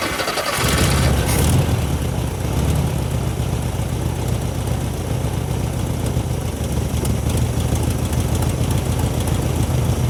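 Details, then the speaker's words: 1972 VW Super Beetle, first start after wiring repair, fuel shot down the carb, two-stroke oil giving blue smoke: catches and settles into a steady, deep, even chug with no knocks or misses; runs fine, fuel maybe not flowing. "it's blue because it's cool because i got two cycle oil in it that sounds pretty damn good"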